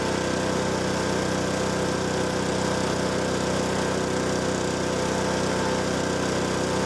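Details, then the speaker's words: Honda HS520 snowblower Honda 4-stroke engine after new OEM carburetor and governor adjustment, slightly warmed up: steady even drone without hunting or surging; governor holding throttle plate properly, earlier fuel starvation resolved. "Took just a minute to get it to warm up a little, but you can see now that governor is working perfectly and the throttle plate is standing on its own."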